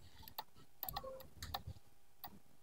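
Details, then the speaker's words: Car starter test with the solenoid fed from the ignition switch: a few sharp, irregular clicks with no spin-up. The solenoid clicks but the starter does not turn. The next step is to power the starter motor directly from the battery. "ini tidak bekerja ya hanya tek tek gitu tek tek"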